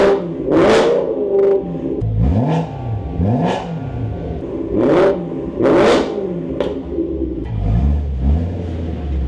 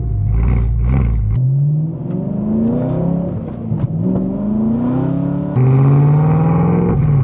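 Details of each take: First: 2008 BMW E92 M3 V8 with newly installed Turner valved stainless exhaust, first start, brief run pending a new coolant line: several sharp throttle blips flaring and dropping cleanly, deep crisp bark; healthy, no misfire. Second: 2008 BMW E92 M3 V8 before exhaust replacement, driving through repeated rev pulls: loud raspy, harsh crackling unmuffled bark; muffler cut off and replaced with stick-welded parts-store pipe, rusted straight-pipe exhaust, obnoxiously loud.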